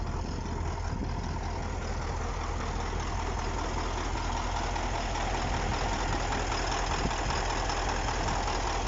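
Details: KamAZ-6520 chassis diesel idling after first start following major overhaul; low, steady idle with a consistent beat and no knocking or misfire, normal.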